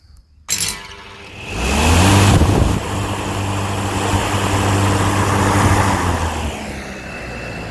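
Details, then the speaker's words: Lawnmower on test with its blade just refitted, unloaded: motor spins up to a steady even hum and holds it without slipping, then winds down; running normally before the cutting test. "so um it's running it's not stripping like this so the big test now is actually to see will it work in operation"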